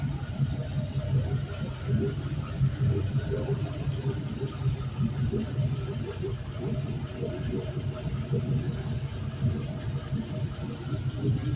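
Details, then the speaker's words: Cleaned and tested GM 5.3L Gen 3 LM7 V8, 140k miles, on a test run at about 180 degrees: smooth, even low rumble with a steady beat and no knocks or ticks; warm healthy idle, no leaks, power steering pump quiet. "another look at the ground here nothing is leaking and he's pretty clean and dry our steering pumps nice and quiet"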